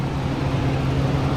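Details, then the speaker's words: Work truck idling right after an oil change and a dipstick check showing it full: a low, even rumble with no knocks or ticks. No leaks were found, and it runs healthy. "Start it up. She's running healthy."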